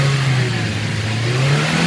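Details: Manual car checked after driving through a flood in second gear at 2000 rpm; it gave white smoke on first warm-up and an air-release noise with the clutch pressed (owner suspects wet clutch). The engine note climbs smoothly and steadily without misses, knocks or rattles. Normal revving.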